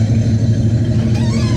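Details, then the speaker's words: Box Chevy Caprice Brougham V8 with Edelbrock carburetor, previously popping from exhaust; cause was the spark plug wires, no timing or carb screw adjustment; now a steady, even low idle burble with no pops or stumbles. "I ain't mess with no timing no more. I ain't even adjust the screws or nothing. No popping."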